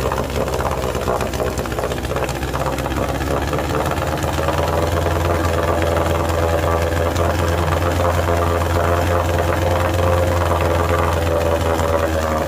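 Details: 1948 Sea King 5HP outboard, first startup and break-in run after mechanical restoration: steady, even two-stroke drone at a constant low pitch with no stumbling or rattles; runs healthy.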